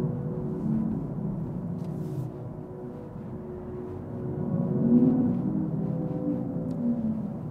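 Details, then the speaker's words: 2024 Hyundai Ioniq 6 Limited, dual-motor AWD EV (320 hp, 0–60 in 5.1 s), accelerating hard in sport mode with the optional drive sounds on: soft whooshing synthetic tones swell and rise in pitch under power, then ease back. This is the artificial drive sound. "now and if you turn on the uh sounds you definitely get uh distinctive sound as you're driving this in sport mode when you push on it it's a very whooshing sound"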